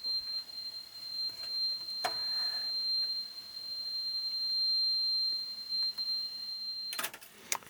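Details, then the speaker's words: Yamaha KX 580 cassette deck before belt service, playing 4 kHz calibrated test tape: steady high tone with crackles and scratchy bursts, very noisy in the left channel. "A lot of very unpleasant scratching noises in the left-hand channel. That's very, very noisy indeed."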